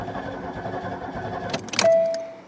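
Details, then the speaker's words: Buick LeSabre that sat about a decade: fired on starting spray but won't run because no fuel reaches it, with leaky or rotted fuel lines. The starter cranks at a steady rhythm but the engine never catches; crank, no start. "well I got it to fire on spray but it won't run because it's not getting gas because the fuel lines are well gone"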